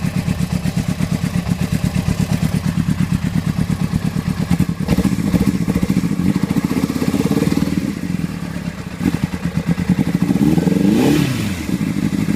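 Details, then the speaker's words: Honda CBR600RR with one cylinder misfiring, faulty header identified. Lumpy, uneven exhaust beat with stumbles and dropped pulses at low idle; it struggles to stay running and dies. "Alright guys, this is what I mean by it's misfiring. That's the sound I'm getting from it. And I found out which header it is."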